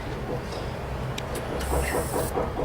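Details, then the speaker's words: PC power supply that powers up unloaded with all rails present but fails under load: faint steady hum, then a thin high-pitched chirp once connected to the PC and switched on; filtering capacitor fault, primary or secondary stage. "Es un sonido que provee, conectamos, provee de la fuente. Puede ser en la etapa del primario, puede ser en la etapa del secundario. Ese sonido tiene que ver mucho con filtraje, ¿sí?"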